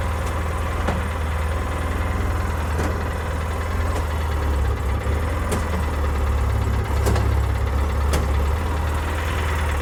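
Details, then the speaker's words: 2006 Polaris Ranger that sat for a long time, after a rebuild with the clutch cover off: a steady fast idle with a low drone and light ticks; the idle is set too high and is being adjusted down. "all right let's see if I need to make some adjustments to [Music] it sounds pretty high"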